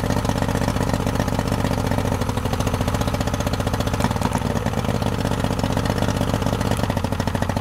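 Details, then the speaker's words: 2003 Yamaha 90 HP two-stroke outboard with good spark, compression and clean carbs: rough, lumpy idle on two cylinders, won't rev past about 2,000 rpm; leaking fuel pump diaphragm floods number three cylinder, fixed with fuel pump and oil level sensor. "This is why the motor won't rev up past about two grand and sounds like it's running on two cylinders because the number three is getting flooded out."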